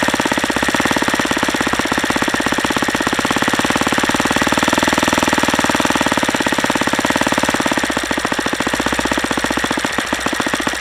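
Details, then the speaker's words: Saito FA-150S four-stroke RC engine on 10% nitro, Xoar 17x8 prop, P2 plug, over-leaned: very fast harsh rapping at high revs, hammering on each firing, from lean detonation. "okay I guess that's what happens when you lean it out too much"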